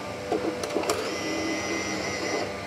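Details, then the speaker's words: Bambu Lab X1 Carbon AMS feeder, customer unit that stopped loading: after reinserting filament, a few clicks then a smooth steady motor whirr as it pulls filament in and back out, loading normally as expected. "but it should grab once I pull the filament out and load it in. should grab it. It pulls it in and pulls it back out."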